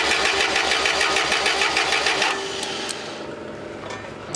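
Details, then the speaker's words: Forklift that quit two years ago and sat since: starter churns at about three turns a second for two seconds but the engine never fires; no spark even with power fed to the EFI main leg and the missing 15 A fuse refitted. "uh giving power to the EF1 main uh leg which is the 31 that sends power to the rest of the unit and to see if it's got spark and it still doesn't have spark."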